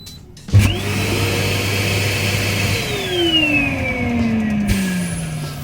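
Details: Bestway Lay-Z-Spa St Tropez blower with new spring non-return check valve fitted, no water in it: motor whirs to a steady hum then pitch slides smoothly down as it coasts off, no rattles or hissing leaks; normal.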